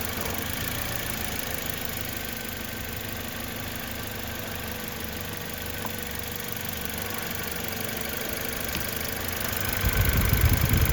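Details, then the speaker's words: 2011 Toyota Corolla S idling stopped in gear: steady idle with an uneven, lumpy beat and occasional stumble. Intermittent cylinder 2 misfire with no check engine light, traced to a faulty coil pack. "you can hear it kind of shaking a little bit here and there"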